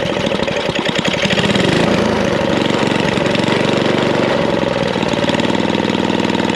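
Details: Snapper I 422 antique snowblower small engine, restored after non-running (bad gas and dirty carburetor suspected), idling after start: steady even chugging, no missing or hunting; confident normal idle.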